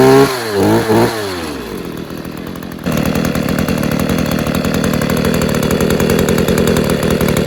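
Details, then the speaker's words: Stihl KM94RC combi two-stroke after an engine refurb, cold start on choke and primer: fires after a few pulls and settles into a steady, fast buzzing idle with no stumble; running well, main problem thought to be in the carb. "running well sounds good um i think the main problem was actually in the carb"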